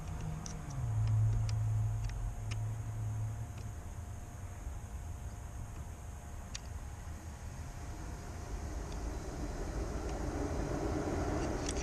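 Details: 2003 Mazda 6 3.0 V6 that overheats with code P0480 (fan 1 circuit malfunction): low, even whoosh builds and holds steady under traffic noise as the radiator fans run normally with the fan relay jumped, so relay control is missing.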